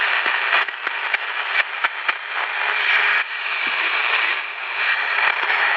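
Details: Candle pocket radio after repair replacing two parts, one found bad, playing music around 7pm: clear station audio with steady midrange and only light crackle; receiving properly.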